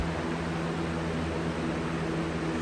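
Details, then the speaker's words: 20-inch Lakewood/Holmes box fan, replacement unit: steady soft whoosh and low even hum, slightly out of balance but no noise like the old unit's, which likely had a blade problem. "not making that ridiculous stupid noise either thank god"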